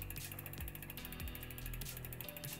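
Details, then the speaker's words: Bicycle disc brake after realigning the caliper by hand so the pads sit parallel to the rotor: the wheel spins freely with only quick freehub ratchet ticking and no scraping or rubbing; brake runs free. "Und läuft einwandfrei."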